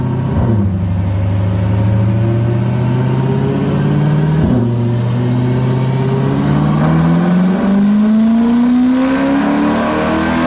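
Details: C8 Corvette Stingray V8 on a chassis dyno with headers and Lingenfelter/Corsa Extreme S axle-back, no ECU tune: full-throttle pull rising smoothly in pitch with no misses, knocks or stumbles; healthy, just over 450 wheel horsepower (baseline 426 stock).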